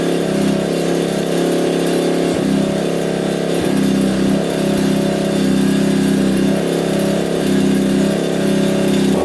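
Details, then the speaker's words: Yamaha Warrior 350 quad after carb cleaning, float lowered and fresh gas: uneven stumbling revs with heavy boggy burble and lazy pickup; still running rich, suspected exhaust pipe blockage. "It's gotta be that pipe. It's still sounding really rich."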